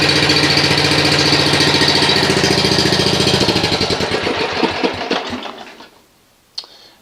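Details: Snapper RER mower after repairing a grounded coil no-start (cable arm touching coil), new air filter: small engine runs fast and even with a steady beat, then winds down smoothly to a stop. Healthy, normal running.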